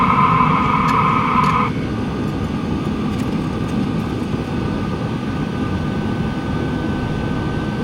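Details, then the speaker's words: LF BROS N2 Pro 2024 diesel heater as its supplied exhaust muffler is fitted: a high whistle drops away, leaving a soft, even exhaust rush. The muffler quiets the exhaust markedly. "The other thing is the muffler. It is really quiet."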